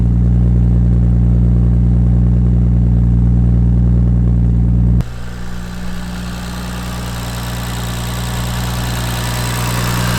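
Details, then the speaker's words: Supra, first start after three years of building: deep, steady, even idle with no dropouts. There is a minor exhaust leak at the mid-pipe-to-catback joint because the V-band clamp is too big, and a little smoke, probably from mystery oil. "Alright guys, as you can see, sounds pretty good. Have a minor exhaust leak from my mid pipe to the catback because the V-band clamp is actually too big, so it's fully tightened right now, but it's still not tight per se."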